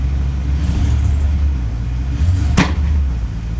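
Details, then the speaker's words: 2000 Jaguar XJ12 with idle control issue, idling about 1100 then dropping with slight miss: low rough rumble broken by one sharp pop; backfire, owner suspects unburnt fuel, cause not confirmed. "hear it backfire there I think it's getting unburn full fuel"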